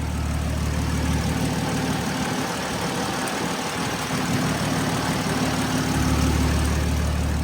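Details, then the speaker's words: Turbo car idling after a same-size replacement turbo install, with spark plugs changed from BKR7E to BKR6E: a steady, even idle, smooth low rumble and light turbo hiss, no misses or knocks, no leaks seen. Normal idle. "But yeah, should be good. Sounds good. I'm not seeing any leaks."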